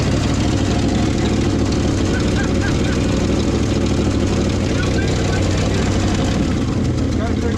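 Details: Old Ford dump truck, last run late 90s/early 2000s and sitting 20+ years, started in the cold on a makeshift jerry-can fuel hose: low, uneven, lumpy idle that never smooths out; rough idle.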